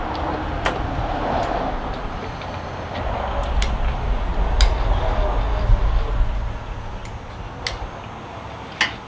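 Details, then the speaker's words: Burnt Harley bagger rebuild, fuel pump not working so gasoline squirted into the throttle body: V-twin lopes unevenly with sharp irregular ticks and skips; rough running, owner suspects a lifter not pumping up or stuck. "i think one of the lifters isn't pumping up it's i don't know if it's stuck because it's it's running rough"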